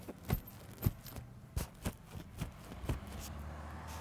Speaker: I'll hold my microphone up and push on it and you can kind of hear the crackling of the of the inner lining of the wall which indicates water damage